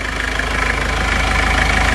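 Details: Isuzu Panther diesel after engine repair with quality liners: steady, even idle with regular clatter, no misses or heavy knock; temperature stable, engine smoother, no exhaust smoke, described as like new.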